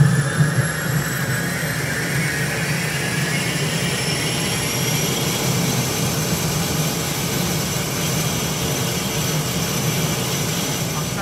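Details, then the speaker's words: Beechcraft King Air turbine start with cowlings off after compressor wash: igniters heard as condition lever advanced, steady roar and clean whistle climbing smoothly as the turbine spools up; normal, even start. "could hear the igniters and with my left hand I'm advancing the field lever now introducing till becomes love that turbine sound"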